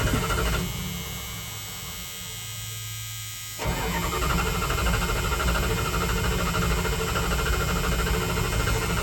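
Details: 1978 Dodge Adventurer Power Wagon, 318 V8, automatic, 4x4, ex-plow truck unstarted for over a decade, primed with the choke not connected: starter drones at about three turns a second and the engine never catches; cranks but won't fire.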